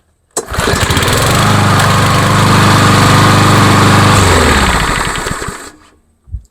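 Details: Craftsman by MTD mower with a PowerMore 140 cc auto-choke engine, after a carb clean, that used to start and die: fires right up, holds a smooth, even buzz for several seconds, then shuts off cleanly. Normal running.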